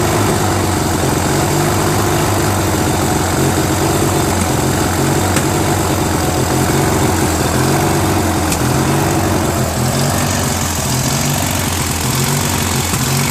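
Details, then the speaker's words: Briggs & Stratton 16 hp opposed twin on a Murray garden tractor, first start after finding the carburetor had no jet: low idle that surges; the idle adjustment screw needs setting. "So this was like surging a little bit, so this screw has to be adjusted a little bit more"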